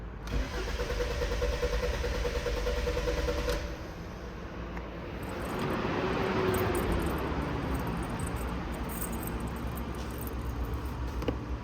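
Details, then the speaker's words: 2015 Kia Sorento with P0340 code, intermittent no-start or delayed start: starter churns about four beats a second for several seconds without catching cleanly; extended cranking blamed on faulty camshaft position sensors (camshafts less likely), later replaced. "فالان زي ما قلت لكم اما حيكون الحساسات او عمدان الكام نفسها فيها مشكله"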